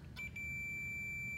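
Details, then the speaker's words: Zero speed (centrifugal) switch, tested on continuity: a short click, then a steady high-pitched beep showing the normally closed contacts made again, after an earlier resistive reading cleared itself. "So now we're getting a beep because it is normally closed."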